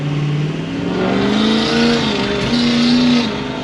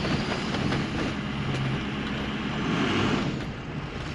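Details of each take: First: Ford 6.0L Powerstroke after replacing the faulty exhaust back-pressure sensor: same roll into the throttle now climbs smoothly and strongly without hesitation, power restored, normal full-boost acceleration. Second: Ford 6.0L Powerstroke, brand-new engine still in break-in, at wide open throttle with faulty exhaust back-pressure sensor reading low: pulls but lacks the classic 6.0 turbo bark, flat and laggy, making only about 23 psi boost instead of more.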